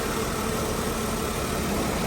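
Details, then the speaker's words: 2003 Mercedes-Benz E320 after a misfire with no stored code, heard after cleaning the coil packs, adding dielectric grease and fitting new plug wires. Smooth, even idle with a steady mid-pitched hum and no stumble. Normal idle. "That's running nice and smooth."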